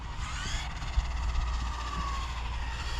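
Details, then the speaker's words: HPI Maverick RC car on 4S with 31-tooth spur gear, speed pass: thin high whine dropping in pitch as car slows over tire and motor rush; gear mesh suspected slightly too tight, not confirmed. "it kind of sounds like the mesh might be just a hair tight"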